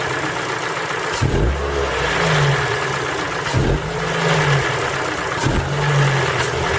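Cold engine revving in short bursts, with a dull knock riding on each rev; the cause isn't clear, likely a cold-start knock.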